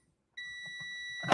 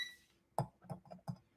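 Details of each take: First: So you should hear it beep when there's continuity. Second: Morningstar Relay Interface, multimeter continuity check of pins for ground with power still connected: two long steady high-pitched beeps with a brief break; false continuity reading on all pins because the circuit was still powered.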